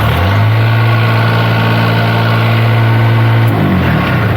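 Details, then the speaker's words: Kubota diesel in a Niftylift HR17 SP50, running with its shorted engine-speed solenoid disconnected (fault traced to a corroded fuse holder and fuse, plus a damaged board), holds a steady, deep, even idle with no misses, then eases off; normal idle. "it's going to higher reps but if i disconnect the solenoid it's just gonna run fine"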